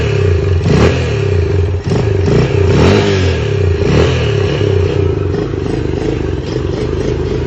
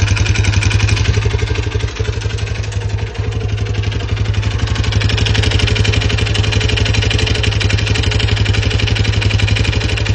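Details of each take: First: Lifan CityR 175, 10,800 km, cold, first start after a cylinder and piston replacement for a knock, carb flooded so it won't idle: revs up and settles with an uneven beat but no hard knock. Normal running. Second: Lifan CityR 175 (162FMK engine), 10,800 km, knocking since it stopped by itself at 90 after refueling and was restarted: hard metallic knock about four times a second over the idling single. Mechanic suspects the head; cylinder and piston to be inspected. Piston knock.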